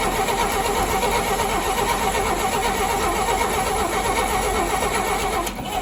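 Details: 1959 Rambler, 195 flathead inline-6, automatic, parked for years: uneven starter churn about 2.5 beats a second with no catch; cranking no-start from a loose positive wire at the ignition coil, coil itself tested good.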